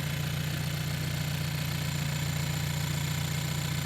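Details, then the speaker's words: Hyundai Elantra N 2.0 turbo at idle just after installing upgraded high pressure fuel pump (Shark Racing Sonata 2.0T HPFP), no leaks: smooth, even idle with steady low hum and faint fine ticking, seems louder than stock; normal idle. "Seems louder than stock. I don't see any leaks or nothing like that."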